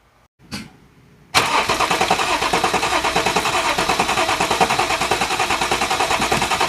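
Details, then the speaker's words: Audi 3.0T supercharged engine after PCV relocation with catch can: engine starts and settles into steady idle with a faint airy whistle from the back of the PCV at startup; normal, nothing wrong. "there was a noise right on Startup that sounded kind of like a whistling noise and I want to show you guys what it is so that you understand it's normal so that sound is coming from the back of the PCV"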